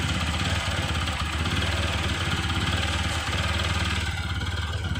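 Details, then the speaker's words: Water-damaged TVS Apache RTR 160 4V after the injector was set back in and relocked. Single cylinder holds a fast, steady idle around 2000 rpm, before the engine warms up. "இப்ப வந்து பார்த்தா போதும் slow வந்து ஓடிக்கிட்டு இருக்கு எவ்வளவு ஓடிக்கிட்டு இருக்குன்னா 2000 ஓடிக்கிட்டு இருக்கு"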